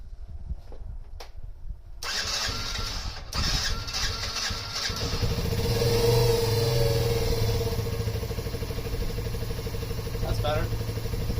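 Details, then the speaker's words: Yamaha Raptor 50 after carbon was cleaned from the piston and head (compression had been about 90): engine catches, revs up, then settles to a steady idle without hanging high; the idle is now set right. "ah it's much better now she's not just continuing to go up so that's good all right she sounds good"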